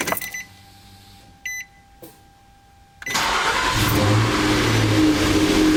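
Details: Car with a new battery, before trickle charging, in a homemade battery load test: brief brisk crank, engine catches promptly and settles into a steady idle; noticeably quicker than the slow starting of the past month.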